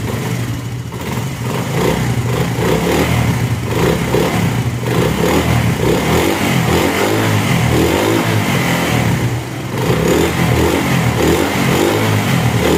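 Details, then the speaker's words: Honda CD70 single-cylinder motorcycle after fitting the silencer: engine blips up and settles with an even, clean exhaust beat, no rattles or popping; normal healthy exhaust sound. "तो आप देख सकते हैं यह आवाज कितना प्यारा हो गया है आपको इंजन का जो है साउंड वह भी सुना देता हूं"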